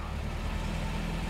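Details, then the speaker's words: Porsche running for the first time in decades after a rebuilt Bosch fuel distributor, new fuel pump, filters, cleaned tank, new distributor, plugs, wires and coil; genuine cold start: low, lumpy, uneven idle, running a little rough and still needing work. "it's it still needs some work here we go it is running a little rough"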